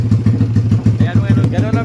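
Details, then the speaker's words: Motorcycle with 67mm 4-valve engine, after conversion to manual clutch without welding: even regular thumping about seven pulses a second, no metallic clatter; clean healthy idle, no knocking. "Ang ganda ng tunog mga idol. 67mm. Ngunit walang lagatak mga idol."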